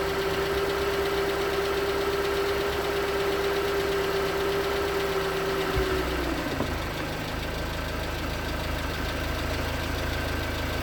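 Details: 2019 Hyundai Tucson 2.0L GDI Nu, 24,000 miles, on Mobil1 5W-20 with under 1,500 miles since the last change. At cold idle a light, regular tapping of about three per second sits over the hum; suspected piston slap. It was slightly better with 5W-30.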